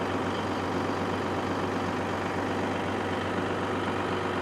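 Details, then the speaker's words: Caterpillar SS250 soil stabilizer diesel (believed 3406B), sat 5–6 years, just started unprimed; steady even idle with low firm rumble, no knocks or misses, about 40 psi oil pressure; sounds healthy. "Hard to beat that. .40 psi of oil pressure."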